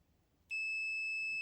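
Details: Leaperkim Patton electric unicycle that cuts out and won't charge to 100%: a steady continuous multimeter continuity beep while testing battery leads; this wire conducts and is intact, unlike the dead black cable that caused the battery fault.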